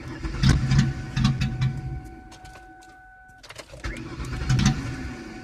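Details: Car won't start: short, uneven bursts of starter churning under a steady warning chime, and the engine never catches. It cranks but won't start.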